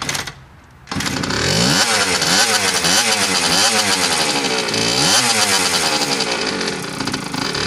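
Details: Suzuki RM60 two-stroke after carb cleaning, fresh gas/oil mix, and chain reinstalled and adjusted: crisp buzz catches after brief quiet, revs rise and fall cleanly in even blips; runs strong and healthy.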